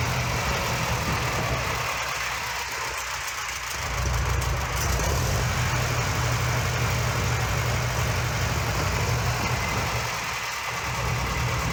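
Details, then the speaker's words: Junkyard Minneapolis Moline ZAU tractor, old plug wires, untuned carburetor, unknown timing, blue smoke from rings or valves: low steady idle rumble with even beat, slight pop and miss, no loud knocks. "It's running pretty good. Running quite nice. Yeah, I'd say so."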